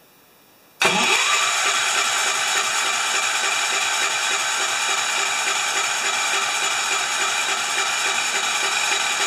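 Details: 10 HP Kohler K241 with newly fitted modern plastic fuel pump, tank horizontal so no gravity feed, ignition off, cranked to test pumping into a dish: steady, even turning-over with a quick regular chuff, no firing; normal cranking.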